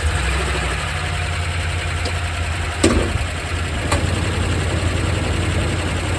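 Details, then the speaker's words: Used Hemi V8 truck engine at idle after start: rough, lumpy idle with faint ticking clicking away over the rumble, check engine light on, P0300 random misfire code; cause not pinned down. "i hear that clicking away pretty good and here we've got our check engine light is on"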